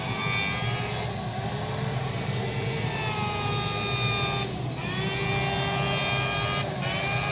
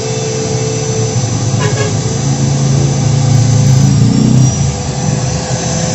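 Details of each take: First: Electric wood planer with loose upper/lower housing, armature previously burnt and replaced: whining rough wavering growl, rotation very heavy, body quickly gets hot. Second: Wood planer motor after shimming the loose body fit with four layers; steady even hum with no rubbing or growl, spins freely and the body no longer heats up, overheating fixed.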